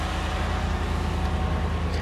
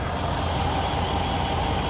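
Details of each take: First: Z71 pickup with factory exhaust, started at a dealer auction: deep steady exhaust burble with even firing pulses and no misses, knocks or ticks; smooth, healthy normal idle. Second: 2016 truck with 6.2 V8, about 150,000 miles, hood open at idle: steady idle with a faint hissing whistle on one side; slight vacuum leak.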